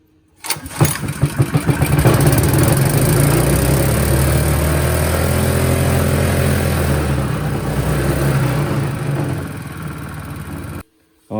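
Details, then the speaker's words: Honda GX160 engine on a plate compactor, after parts were swapped between engines: it catches, then its speed surges up and down instead of settling to idle; throttle linkage suspected, later a broken governor suspected. "really why better why did it rev up like that something's wrong with the throttle linkage surely"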